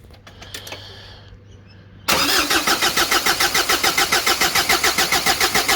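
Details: Big-turbo Ford Courier diesel ute, first start with system primed: cranks and catches after two seconds, then loud chuffing pulses about 3.5 per second, never settling to smooth idle; fuel governor suspected, not confirmed.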